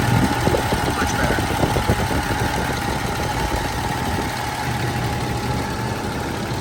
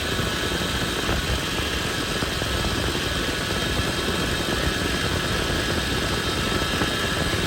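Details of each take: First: Toyota 80 Series Land Cruiser (FJ80) at steady idle after the whining fix: wheel being turned, only a faint thin tone left, no loud pump whine; power steering pump now sounds normal. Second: Toyota 80 Series Land Cruiser (FJ80) at smooth idle, power steering pump: steady high whine that doesn't change, caused by air bubbles in the fluid; fix is topping off, running engine and turning the wheel.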